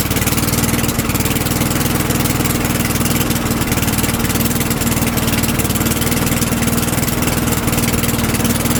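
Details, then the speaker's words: Old Sears Craftsman lawnmower after the oil was topped up to the full line, run to circulate the oil: even, steady single-cylinder putter at constant speed, no misses, knocks or surging; engine running healthy. "And we'll fire this up one more time, that way the oil can circulate through it and that'll be that for this video."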